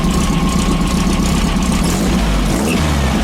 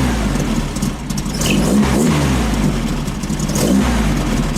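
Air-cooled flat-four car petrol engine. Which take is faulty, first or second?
second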